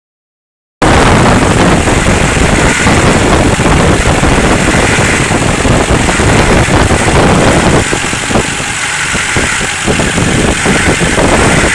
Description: Description: 05 Duramax LLY, intermittent humming/buzzing sound. sounds like its coming from the front of the engine.